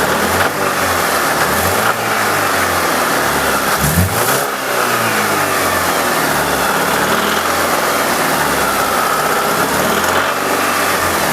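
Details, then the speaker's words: Alfa Romeo 166 2.0 TS idling with the variator solenoid disconnected: a light, irregular knock remains, ruling out the timing belt and cam phaser; cause still unknown, oil pressure to be checked hot. "Ну что как слышно звук остался"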